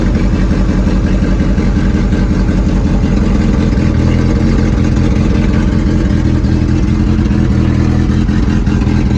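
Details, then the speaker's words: 1995 Honda Civic EG race car, gutted, B16 transmission: idle with uneven stumbling beat and occasional dropped pulses; misfire starting within seconds to minutes of starting, owner attributes it to a Honda issue awaiting repair. "It starts to misfire in a couple minutes or a couple seconds."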